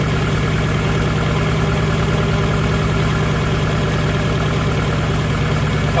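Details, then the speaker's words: Nissan Pulsar GTiR just after a water pump replacement, with probably air in the cooling system: steady but uneven, lumpy idle that sounds really rough. The cause is unknown; more water in the coolant is guessed. "That sounds really rough. So, obviously it sounds really rough, ladies and gents."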